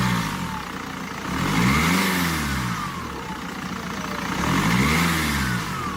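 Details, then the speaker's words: BMW E87 diesel with high fuel consumption revs with a thin whistle rising and falling over the engine drone; boost leak from a damaged lower intercooler hose. "that whistling sound you heard is not normal the lower intercooler hose down there is damaged"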